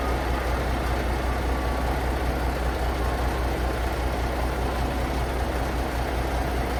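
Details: Paystar truck diesel just restarted after radiator reassembly with new gaskets, idling while building air (about 70 psi): deep steady smooth rumble, no knocks or misses, not leaking; normal idle.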